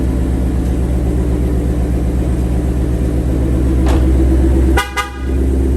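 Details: 2021 Ford Mustang GT V8, about 7,800 miles, after its first oil change, cool idle with a brief horn toot: light, quick tick about four a second, louder when hot, loudest at the driver's-side front wheel well. Owner thinks it is characteristic per TSBs. Valvetrain typewriter tick.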